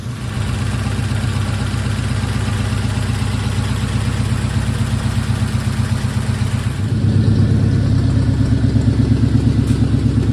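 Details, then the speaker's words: 1940 Ford, first start since November after gas tank install: with a little choke it starts instantly and settles into a steady, even low thrum with no knocks or misses; healthy idle. "let give her a little choke this started instantly and purred like a kitten that's what I've always loved about this car it's like it just wants to run you know you got to love"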